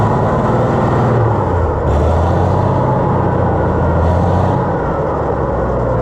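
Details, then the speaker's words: Oliver 1650 tractor engine: loud, steady, fast drone holding high without dropping back; engine overspeeding, governor needs adjusting. "Let's see here. Was it rev up too much? Yeah, it needs to be adjusted where"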